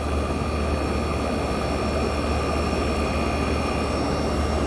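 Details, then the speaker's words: 1965 Fedders Weatherwheel air conditioner on high cool, condenser fan motor running. Even whooshing airflow over a low steady hum, with no rattle, scrape or bearing whine: the fan motor is running smoothly and normally. "There's the fan running. It's running smooth."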